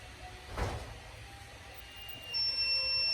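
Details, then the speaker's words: Speed guardian alarm buzzer driven by new RX480E-4C receiver chip with poor power delivery to data line (older RX480E-4 gives full volume instantly): thin high buzz starts quiet and slowly builds to full volume. "that's how long it takes for it to reach full volume but I'm going to turn on the relay and it starts out really quiet and it gets louder and it gets louder and it gets louder"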